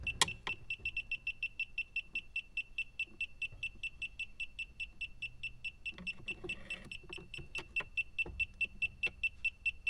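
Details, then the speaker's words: A/C refrigerant sniffer held in the dead air space where a slow leak was already suspected: sharp high beeps at about two a second, growing louder. Leak confirmed there; the owner suspects the evaporator core. "Oh it's leaking boy this thing is sensitive and good"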